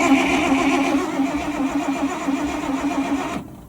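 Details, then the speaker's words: 1969 Dodge L600 truck, at a shop at least 15 years, Edelbrock carb, not in gear, starter powered by power probe after turning freely by hand: steady starter whir with even compression pulses from the exhaust, three to four a second; good compression, no firing. "It turned over real nice by hand, and you can hear compression out of the exhaust a little bit. You can hear it boom, boom, boom, boom, boom a little bit."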